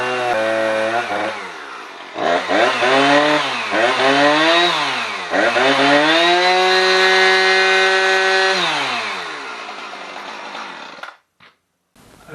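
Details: Husqvarna 455 Rancher chainsaw after a new spark plug, air filter already ruled out, on owner-mixed fuel: screams at high revs, then pitch sags and labours each time it bites wood. It is bogging under load; cause not confirmed.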